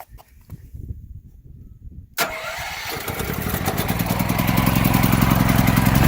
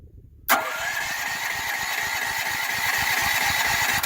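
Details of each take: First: Firman T07571 generator, started with a little choke after a recent run: quiet, then the engine catches sharply and builds into an even, steady rumble; running normally before household load is applied. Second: Firman T07571 generator on ethanol-free fuel, run shortly before so owner expected no choke needed: about three and a half seconds of rhythmic cranking chuff that never catches; still wants a little choke to start.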